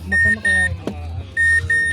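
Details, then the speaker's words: Mazda 6 automatic with a no-crank, no-start, no-power-at-ignition fault, after the repair restored power; pairs of sharp high beeps about a quarter second each, repeating. The alarm now sounds normally. "Ayan natunog na Ayan oh tumutunog na siya may alarm na"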